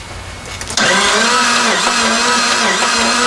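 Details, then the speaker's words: 1992 Dodge Stealth R/T that sat semi-abandoned, cranked on five gallons of fresh premium fuel. The starter gives a whirring, uneven whine that wavers in pitch, and the engine turns over slower than expected with an odd sound. The timing belt looks fine, and the cause is not determined. "I'd expected it to turn over a little faster than that and maybe not make that sound"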